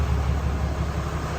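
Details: 2020 Ram 2500 Cummins diesel idling after the oil and fuel filter change, running to check for leaks. A steady, even low rumble with no knocks, misses or rough patches; idling cleanly and healthy.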